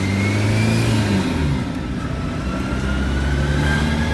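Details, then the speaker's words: VW Polo TDI after a paid gearbox refurbishment and clutch refit, driving under load: a high whine climbing with road speed like straight-cut gears; a gearbox bearing was found shot. "so as you can hear from that uh it had a massive whining sound to it almost sounding like a can i say like a radical with straight cut gears it's whining on the gearbox"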